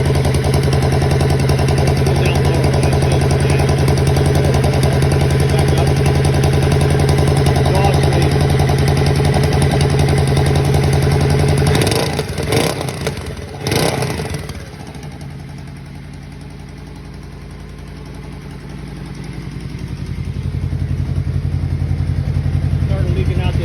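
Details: 2013 Yamaha Royal Star V4 motorcycle at idle: a steady puffing tick about three to four a second from an exhaust leak.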